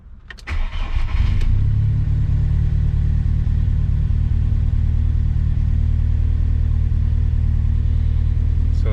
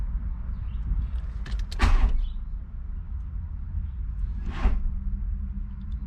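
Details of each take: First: VW Mk2 Golf hot start after a drive, following fitment of a Mk4 starter that cured its hot-starting problem; short brisk crank, catches within a second, settles to a steady even idle; normal hot start. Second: VW MK2 Golf, hot engine with fan on at quarter gauge, hot-start fault: two short clunks a few seconds apart then nothing, no cranking, as if the battery were dead; worn starter, fixed by fitting a MK4 starter.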